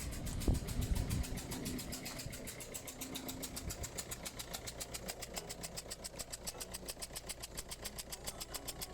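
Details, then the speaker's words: 2009 Ford Focus 1.6 diesel, 156,000 miles, just started: sharp, fast ticking chuff about 140 a minute over diesel idle clatter, with some misfire. A blowing injector seal; fix is an injector seal kit. "there we go you can hear that injector straight away"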